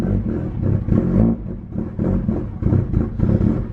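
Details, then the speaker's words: Mitsubishi Evo after intercooler piping and three-port blow-off valve install: lumpy, surging idle rising and falling about every half second, engine light with intake air temperature and mass airflow codes; MAF sensor connector only halfway plugged in, codes cleared and reseated. "Engine management light. Okay, so I'm looking, it's like intake air temperature and mass volume. So the mass sensor weren't plugged in correctly. It was only like halfway in."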